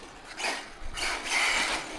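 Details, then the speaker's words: HPI Vorza S Flux truggy with Draco Precision upgrades on 6S: motor whirs in short bursts with a ratchety rattle but nothing drives; loose grub screw on the rear outdrive (first thought loose pinion), retightened to restore drive. "sound sounds like we got a loose pinion by there guys so bear with Me 2 seconds right guys so it turns out the grub screw would come loose on the rear out drive"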